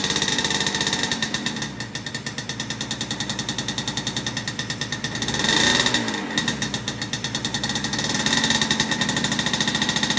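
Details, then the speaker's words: Yamaha Banshee build, two-stroke twin, awaiting new carbs: rapid, uneven, raspy popping that surges and sags with throttle, only one cylinder firing; won't idle without holding throttle. Owner suspects carb/needle setting, may leak-test; cause unconfirmed. "besides that like one cylinder will turn on and I can't idle it it won't idle like it'll idle it'll stay idling but I got to hold the gas"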